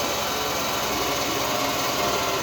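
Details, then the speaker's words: 1966 Chrysler New Yorker, parked 18 years, first turnover attempt with an old battery: dragging, laboured starter whirr turning the engine without firing. Battery nearly dead and was then swapped. "Battery's obviously low. Oh god, yeah, look at that, that's dead."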